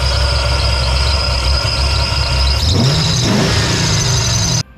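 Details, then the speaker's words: Idling V8 with a steady high squeal unchanged in pitch, starting after a water pump change; a new belt didn't cure it and it returned as the engine warmed; dry alternator bearing, alternator replaced. "There's some squealing going on. At first I thought it was belt squeal. That's not the case."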